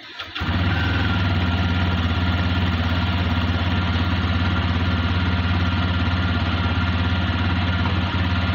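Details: TVS Raider 125cc BS6 single-cylinder bike, 2,500 km: uneven, lumpy idle with occasional dropped firing pulses, missing at low rpm; bike also shuts off suddenly. Cause undetermined.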